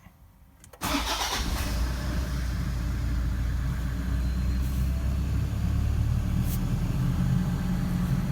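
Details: 11-year-old 150-series Toyota Land Cruiser Prado diesel at 349,037 km, during inspection: cranks and catches within a second, then settles to a steady, slightly fast idle because the idle-up switch was left on.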